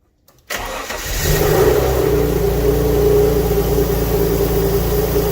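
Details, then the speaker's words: Alfa Romeo GTV V6 abandoned for years, first full start after fitting used donor fuel pump with new seal: cranks briefly, catches, rises to smooth even idle with steady exhaust pulse, no knocking; no leaks, runs properly. "so at least it starts nothing leaking as of yet no water on the floor so let's go for a full start and let's see it run"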